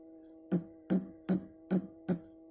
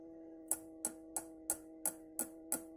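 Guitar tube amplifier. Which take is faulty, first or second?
first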